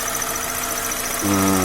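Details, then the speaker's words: 2010 Hyundai Elantra, engine running at idle then revved: thin, steady high whistle over the idle that holds as revs rise, from the clutch area near the slave cylinder and release fork; dry clutch release fork whistle. "видно то вот она да видно где рабочий цилиндр и вилка 100 курилка вступление вот и я не знаю слышно не слышно но он свистит такой треш характерный"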